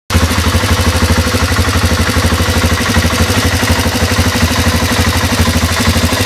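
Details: Honda Transalp twin at idle: a regular tapping about three times a second over the low thrum; a mechanical engine noise whose cause isn't clear.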